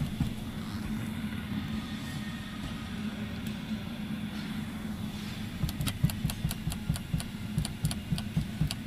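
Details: Car interior, driving: a light, quick ticking rattle from the ceiling over road rumble; cause not confirmed.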